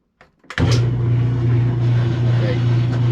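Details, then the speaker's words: Kenmore top-load washer that agitates and drains but won't spin, spin cycle selected with the lid open: steady low motor hum with no rise or tub-spin sound; motor runs but tub stays still. "I turned it on the spin cycle 4 or 5 times before I started shooting this video, and nothing happened other than I could hear the motor running."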